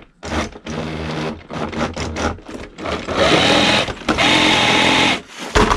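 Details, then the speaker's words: HB Toys ZP1003/ZP1004 cheap RC crawler on stock electronics: harsh, angry electric whine with uneven surging under throttle; owner blames the stock electronics, though it runs fine. "one of the complaints of did get on the lawsuit not so much a complaint but questions was the noise it makes because I think with the electronics in the area this certain watch sounds quite angry done there"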